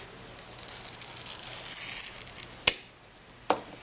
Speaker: as you score you should be able to hear it cause a gentle creaking or scratchy noise all the way across the glass